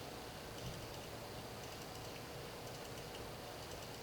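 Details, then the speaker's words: Panerai Luminor PAM112 hand-wound watch, crown guard lever opened and crown rotated forward with two fingers: very faint, quick light ticks with each turn under a low hiss, the normal crown winding clicks. "go with two fingers and you rotate forward hopefully you can hear the clicking"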